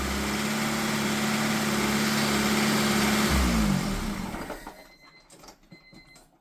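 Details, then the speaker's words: Honda Civic Si with a replacement engine just swapped in, running after a couple of start attempts: even, steady idle with no ticking, knocking or chatter, then winds down and stops; normal idle, a good engine. "Yeah man, you got a good motor, man. Fucking right. Fucking sounds good, eh? Oh yeah. Yeah, not even it's not even chattery."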